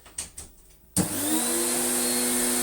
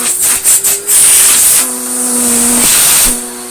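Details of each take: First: Electrolux Slimline Mk2 156 vacuum, long stored in a loft, with its old bag, first switch-on: switch clicks, then the motor spins up to a steady, even roar with a clean whine; good suction. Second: Electrolux Slimline Mk2 156 vacuum, long stored in a loft, with its old bag, first switch-on: a loud, steady high-pitched hiss over the motor drone comes from the hose; the motor has good suction.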